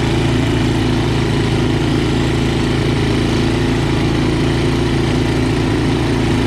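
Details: Snow blower small engine that stalled in wet snow, after cleaning the main jet holes with a clipped wire: steady, even low chug with no surging, dropouts or misses, running cleanly.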